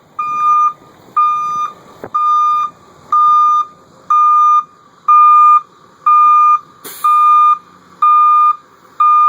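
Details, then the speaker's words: 1989 Chevy Thomas bus with a newly fitted Ecco 575 reverse beeper, wired from the transmission reverse-light switch and mounted on a rear frame cross member; engine running, in reverse, parking brake set: a loud, steady beep about once a second; the alarm is working normally. "So put the bus in reverse. Make sure parking brake's set. I want it to roll away on me. Don't try this at home, kids. Yeah, you can hear it good and loud."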